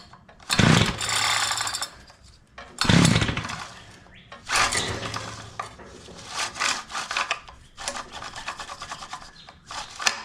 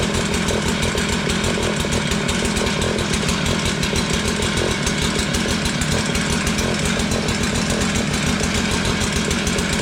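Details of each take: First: Curb-found Tecumseh two-stroke Mantis-style tiller on half choke: several scraping pull-cord strokes give brief sputters, spitting a couple of times without catching, until the starter rope gives up. It tries to fire but won't start. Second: Tecumseh two-stroke Mantis-style tiller, a curb find revived from a no-start, steady rapid buzzy beat at even speed with no misses or knocks; running healthy, though the throttle is not yet responding before the carburetor is adjusted.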